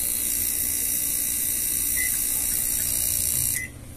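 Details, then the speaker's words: Samsung microwave keypad board running, before the repair: fast buzzing chatter from the small relay over a steady hum, also heard when the door opens; a failed, dried-out capacitor starves it, and replacing it stops the noise. "este ruido en microondas como chicharra cuando abres la puerta o cuando ponemos a trabajar es por falta de energía o sea el capacitor no nos sirve el capacitador está devaluado"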